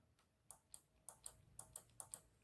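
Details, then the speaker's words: Single solenoid on a junkyard Land Rover ABS solenoid pack pulsed via a starter button to positive and ground; crisp paired clicks, about five pairs in under three seconds, each snapping cleanly: solenoid working. "that's how we know solenoid is working so on your vehicle you need to to test every single one make sure they're working"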